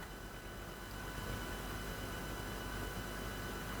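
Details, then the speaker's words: A steady, even hum with a faint buzz from a noisy aquarium air pump runs throughout, heard as background noise while a Lenormand oracle deck is presented; the cause of the noise is unclear. "J'espère que cela ne vous a pas agacé d'entendre le bruit de la pompe de l'aquarium. J'espère qu'on ne l'entend pas."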